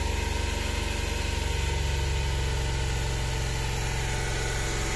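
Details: Suzuki DA64 minivan, K6A engine, cold with the temperature light still green, held near 3,000 rpm to warm up: pulsing, uneven throb about three times a second and it stalls without throttle; a failing coil pack misfire is suspected.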